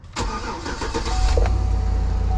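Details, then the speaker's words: Chevrolet Suburban, 185,000 miles, auction preview: short crank then fires at once into a steady even idle, starts right up, no warning lights; normal start. "starts right up that's always a good thing"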